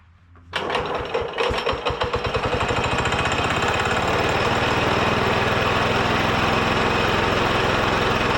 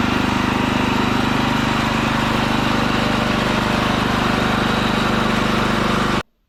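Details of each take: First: Ditch Witch C99 with a Wisconsin single-cylinder, oil bath air cleaner refilled: a few ragged firing pulses, then it settles into a steady fast chatter. It runs on a smaller fixed-jet carburetor, since the adjustable jet won't fit, but runs acceptably. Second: Ditch Witch C99 trencher with a Wisconsin engine, on a fresh 30-weight oil fill: a steady, even drone with a regular firing beat at constant speed and no knocks or misses. It runs smooth and healthy.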